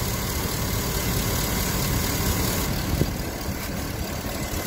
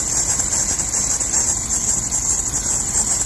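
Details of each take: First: Engine restarted after sitting, following cleaning of the dirty serpentine belt and pulley grooves with a steel brush and silicone lube: steady, even idle with no squeal or chirp, so the belt now runs quiet and smooth. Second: Steady idle with a constant shrill, high squeal that never changes pitch: a dirty, glazed, slipping serpentine drive belt at the pulleys, before cleaning it with a soft steel brush.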